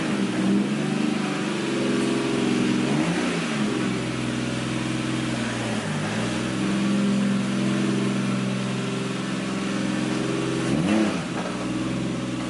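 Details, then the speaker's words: Kevin's Nissan 240SX S13 with 1JZ engine and CD009 gearbox, running again after working out kinks and fixing the tach: smooth inline-six idle with three clean, even revs, no misses or knocks; normal idle and revving. "We worked out a couple kinks, and we got it running good. At least we think so."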